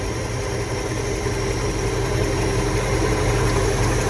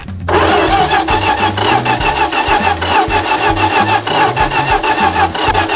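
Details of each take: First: 1977 Dodge D-600, first run since 2009, once its fuel pump started pulling fuel: steady, even idle with a deep throb and a faint fuel-pump hum, running cleanly without stumbling. Previous owner could not make it run. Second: 1977 Dodge D-600 abandoned for 23 years, hand-fed fuel to the carburetor: steady fast cranking at about three turns a second that never catches. Owner believes it is flooded.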